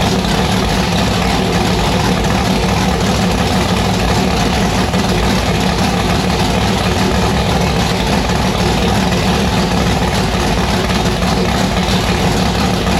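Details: Annabelle's engine first firing on E85 after installing a returned 1150cfm Pro Systems carburettor and building a new hose: loud, hard-edged, choppy uneven idle under constant roar, sounding violent; rough idle.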